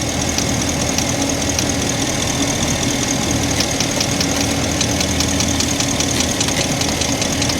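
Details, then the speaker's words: 2012–2013 Ford F350 V8 idling with check engine light and knock sensor 1 performance code (P06B6/P0686); irregular light ticking knock heard, traced not to knock sensor but to ignition coils arcing and misfiring, shown by spraying liquid on coils. "if you hear carefully you can hear a knocking coming from this engine let me show you guys what that is"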